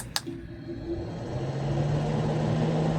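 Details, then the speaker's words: New RV roof vent power fan ramping from 10% to 30–40%: soft click, then low hum rising to steady even drone, no rattle; much quieter than the old rackety, tinny fan; normal. "And then if I want to increase, you can see the fan says 10% right now. 30, 40. This is much quieter than our old one. Our old one was pretty rackety."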